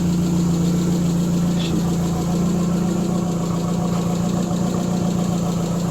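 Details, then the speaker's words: Triumph Spitfire at warm idle, about 900–1000 rpm and slightly high as usual when warm: deep, even idle with no knocks or misses; normal warm idle. "might be a little on a high idle side that's usually where it runs when she's warm I'd say it's probably close to 900 RPMs or a th000 somewhere in there about"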